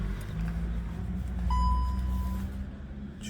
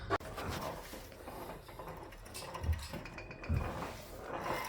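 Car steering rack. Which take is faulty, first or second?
second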